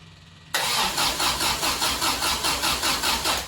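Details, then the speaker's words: 1974 MGB first start after 12+ years unassembled, rebuilt carburetors, electronic ignition, 50 psi oil pressure, spark and good compression confirmed, fuel pump running: starter cranks in steady whirring pulses, never fires; suspected no fuel from carburetors. "as you can hear when we turn it over we have compression so therefore we're not getting fuel i hear the fuel pump pumping"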